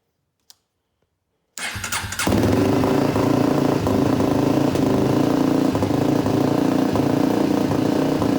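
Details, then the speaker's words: 2004 Polaris Predator 500 after carburetor tuning and oil leak fix, cold start with some choke: brief crank, fires right up and settles into steady even idle; normal cold start. "all right she still fires right up um might maybe tune a little bit more but glad to hear it run again"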